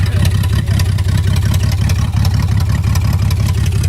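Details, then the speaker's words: BMW 325xi E46 all-wheel drive, $200 auction car: loud, uneven lumpy idle with irregular pulses and raw exhaust bark, raw fuel smell; engine misfiring and running rough, cause unclear. "Hey man, it runs though. It runs. It does. It may not be running very well, but it runs."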